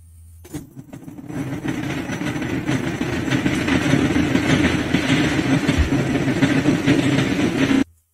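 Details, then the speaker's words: 2011 Ford Kuga Mk I diesel, engine code UFDA, DTC P1168: loud uneven knock with severe power loss, low fuel rail pressure traced to a faulty IMV inlet metering valve. "además del ruido que habéis escuchado de fuerte golpeteo del motor"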